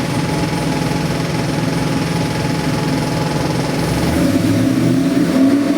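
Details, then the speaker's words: New LS3 416ci stroker crate V8 (600+ hp, 560+ lb-ft) for a 1969 Chevelle, full-throttle dyno pull: a loud, even roar climbing smoothly in pitch with no misfire or knock. Oil pressure and AFRs good, the engine runs fantastic. "Happens to be the LS3 416, made over 600 horse, over 560 foot-pounds of torque. Motor runs fantastic."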